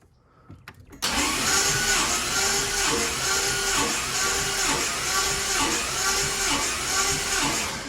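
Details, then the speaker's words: Oldsmobile 403 in 1981 Cutlass cranking during compression check: whir with slightly uneven beat, a couple of strokes per second with one weak spot; one cylinder low compression, suspected not firing with a rich carburetor. "I think a lot of it is this cylinder not firing and the carburetor being rich."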